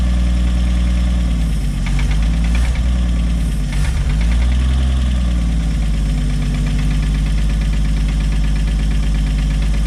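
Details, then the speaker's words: 1964/65 Chevy G10 van, sat 25+ years, running after filling float bowl; rough low idle with dull knock following engine beat, seeming toward rear of motor; engine knock, cause unclear. "The motor's got a bad knock, and it sounds like back here towards the back. So I would say it's probably not a healthy engine."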